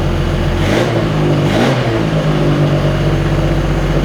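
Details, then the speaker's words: Autobianchi A112 Abarth 1050cc engine, converted from chain drive to a cambelt kit, on its first start in years while still on choke. It shows great oil pressure and makes crisp, eager revs that rise and fall cleanly; a slight rattly character remains, and it runs well. "It's funny because it sounds like mine, just with a different kind of rattly sound. Still that sound, but not the... It sounds a little better, which is not a surprise. And it sounds really eager."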